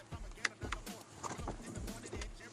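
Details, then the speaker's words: Mercedes-Benz windshield wiper blade chattering before repair: uneven juddering thumps and squeaks as the blade drags instead of gliding, with no oil film on the glass. "다시 한번 보시면요, 다다다닥 보이시죠? 다시 지금 유막은 없어요."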